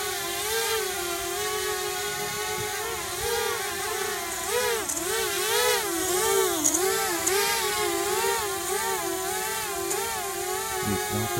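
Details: Eachine ESC-driven small motor: a high-pitched whine that wobbles up and down instead of holding steady, with a slight shaking stutter. The cause is unconfirmed.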